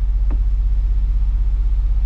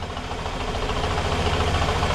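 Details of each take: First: Fiat Brava after 23 years parked, now running on all four cylinders: steady low rumble with even pulses, no misses or knocks; smooth, healthy idle, earlier faint noise stopped. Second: Fiat Brava started after sitting 23 years. Low, uneven throbbing idle with a lumpy, loping beat; owner wonders if injectors need cleaning and heard a knock that stopped with the clutch pressed; rough idle.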